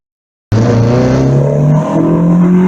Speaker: VTEC sounds really mean it almost sounds like a B series VTEC